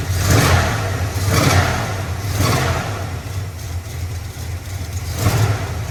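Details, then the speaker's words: 1979 Dodge W200 Power Wagon V8 after manifold gasket reseal and new carburetor accelerator pump: repeated blips pick up cleanly, no off-idle bog; a possible slight collector leak and a ticking suspected belt/AC compressor remain. "it is a lot better I think I have a slight collector leak down there and it's running really good"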